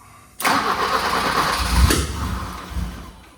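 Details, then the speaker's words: Manual BMW E30 318i with a starting problem, cranked with the airflow meter unplugged. The starter grinds and then a single sharp pop comes about 1.5 seconds in as it tries to catch, a backfire during cranking whose cause is unknown. "a little backfire not sure why she did that I do have the timer right now so let's try that again"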